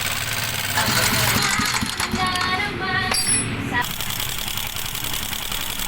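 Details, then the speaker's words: Sniper 150 single-cylinder before repair: loud, busy metallic clatter over idle like a mixer; stretched timing chain, damaged intake valve and rocker arm, worn bearing; timing chain and valve train noise. "Ayan napakalalapo. Napakalaki ng sira. Maingay. So parang alam niyo na kanina doun sa video para siyang mixer."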